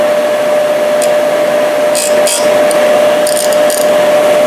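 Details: Used 1998 Workforce 8-inch bench grinder, 120 V 5 A, with wire brush and stone wheels: smooth, steady hum with one even tone, no knocks, rattles or grinding; normal running.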